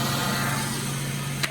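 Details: V6 idling after jump start, jump starter disconnected, charging at about 14.4 V; steady even low hum, constant pitch, no dips or knocks; normal smooth idle.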